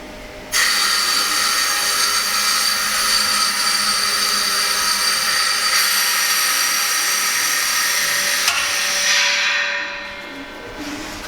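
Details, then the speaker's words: New Ingersoll Rand 80-gallon 7.5 hp two-stage compressor (24 cfm at 175 psi), valve opened for the first time on a new shop air line system: loud steady hiss for about nine seconds, then tapers off with no leak hiss; lines charging normally. "Boy, that sure sounds good."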